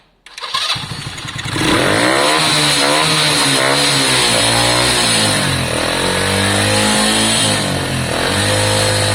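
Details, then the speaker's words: Lexmoto Valiant 125 converted from EFI to carburettor, original main jet and air filter on; started and blipped repeatedly, revs rise and drop back slowly and unevenly; revs hang, owner suspects the cheap carb, mixture very close but not right. "So whenever you rev it, it's pretty much it's like almost like this. I don't like the fact that it struggles with the car. Revs hang a little bit, don't they?"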